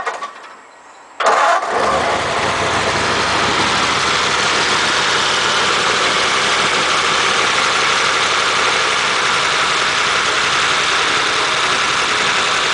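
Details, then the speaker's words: 276-inch flathead V8 in a Model A roadster on '32 rails, parked about 18 months, choke left on: starter spins briefly, catches at once and settles into an even, steady idle without misses. "well can't complain about that can you oh oh we are let give it another go yeah let's leave the choke on"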